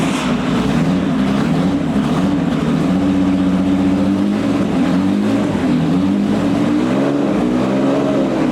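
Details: FIA-compliant Porsche 910 flat-six, freshly built with MFI-type setup, on dyno jig before run-in and tuning: crisp, even revs rising and falling smoothly with no knocks or misses; running healthy.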